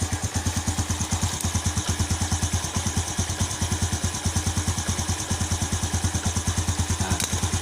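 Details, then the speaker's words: Yamaha Jupiter Z1 single-cylinder after Satria FU regulator conversion, battery reinstalled and electric-started: steady even idle beat, no misses, knocks or rattles; runs normally with regulator charging battery. "Nah ini hasil dari perombakan menggunakan regulator Satria FU tadi inilah jadinya motor Jupiter Z1 menggunakan Satria FU ya"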